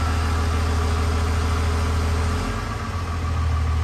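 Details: Cummins diesel (1500hp project truck build) at hot idle shortly after first start, good oil pressure, no coolant yet, before hot retorque; deep even beat, slight settle partway: normal hot idle.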